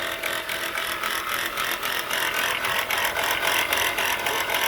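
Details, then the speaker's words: Car idling, customer complaint of noise under the hood when running: fast metallic rattle and grind; alternator bearing shot, pulley wobbling with brown residue around it. "all right guys from the looks of this and the sound of this look like the alternator bearing is shot"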